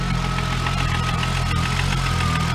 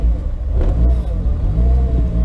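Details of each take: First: VW Corrado at its first startup in about two years, after nearly blowing the motor; it cranked a while before catching. An even, settled idle with a faint steady high whine and no misses or knocks sounds healthy, though it later would not idle or drive well. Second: VW Corrado on first startup in years (build begun 2014), no tach, owner hoping the thermostat works: cold engine hunts and stumbles, needing throttle blips to stay running, and won't settle; it won't idle or drive but starts. Rough idle, stalls cold, cause unknown.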